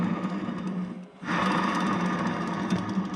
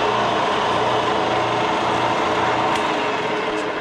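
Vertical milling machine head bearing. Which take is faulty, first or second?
first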